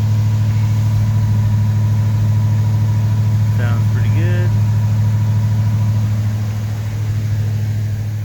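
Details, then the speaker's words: Rebuilt Ford 302 Windsor V8 with Melling camshaft and new exhaust, camshaft break-in held at 1500–3000 RPM for about 10 minutes, water temp and oil pressure good, timing still untuned: deep, even rumble at raised idle, no knocks or misses; normal fast idle. "I've been kind of turning the idle up and down a little bit to get that 1500 to 3000 RPM range to break in that cam."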